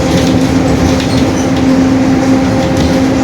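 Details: 2021 Marcopolo Torino S stretched bus on a Mercedes-Benz OF-1721 BlueTec 5 chassis, driving; a constant mid-pitched drone from the rear axle over engine and road noise. The differential is growling (differential whine).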